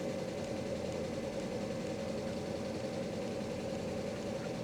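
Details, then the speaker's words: 1997 Mercedes S500 coupe (W140) with a head gasket fix, just started, parking brake on: steady, even engine hum with no misses, but idling a little high; owner expects it to come down shortly. "She's idling a little high. She'll come down here in a second."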